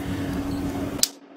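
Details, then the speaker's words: DIY 3S2P 18650 Li-ion pack charged from an unregulated 14 V DC supply with no BMS, about 3.27 A, cells at 35–37 °C: steady hum cut by a sharp click as an overcharged cell group fails, current dropping to 2.5 A. "that's the first one so the current went down to 2.5 one of the elements just gave up and soon we have the second listen the click and that's it it's gone"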